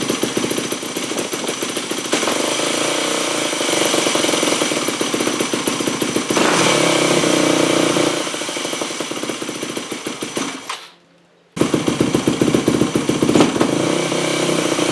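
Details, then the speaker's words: 2008 Yamaha WR250F, first startup after carb rebuild and FMF Powercore slip-on, choke on: revs hang high after each blip and bog right off idle; suspected to be running lean, later found to have a different cause. "Well, you can hear that massive hanging idle and bog right off of idle, so that means it's running really lean."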